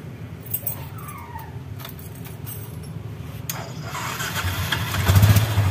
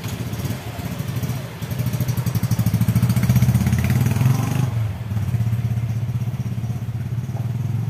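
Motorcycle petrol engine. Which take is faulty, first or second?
first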